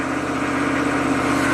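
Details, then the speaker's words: Chevy 6.5 turbo diesel truck, suspected PCM ramping the fuel control solenoid and over-fueling: idle shakes at 1,000 rpm then climbs to about 1,800-2,000 rpm with no throttle, a fast steady drone; high idle. "okay it's at 1,000 RPM shaky now it's at 2,000"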